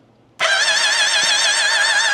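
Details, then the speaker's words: Yammie Noob's turbocharged Suzuki Hayabusa, engine just reinstalled, cranking with plugs and one coil pack checked; steady fast starter whir with no firing pulses. Cranks but never fires, no spark confirmed. "No. Then we definitely got a problem with spark."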